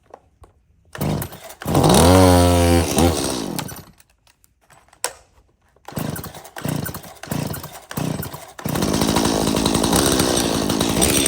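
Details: Dirty, unmaintained Stihl MS170 chainsaw with clean fuel and a full bar oil tank: starts, then surges and cuts out in uneven bursts before settling to a ragged high rev; runs rough, cause not yet found.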